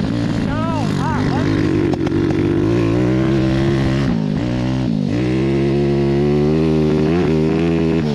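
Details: Homemade 190cc single-cylinder 5-speed go-kart, revived after sitting a year with strange running issues, on a hot lap: revs hard but the note wavers and stumbles unevenly under load; running rough, cause not yet diagnosed.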